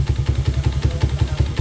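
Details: Motorcycle engine at about 110 (odo, as stated), never refreshed, idling with heavy thumping about eleven beats a second and a loose clatter on each beat; valve knock and piston slap, oil suggests burnt lining, dampers cracked.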